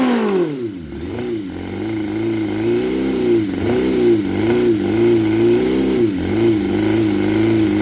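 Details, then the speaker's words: 2006 Suzuki GSX 600F Katana after carb cleaning and sync, idle set about 1,200 rpm, mixture screw guessed: each throttle blip leaves revs hanging high before sinking slowly to idle; owner unsure of cause. "and it stays like up in idle it doesn't go it goes slowly down to about the idle that I set see it drops slowly down"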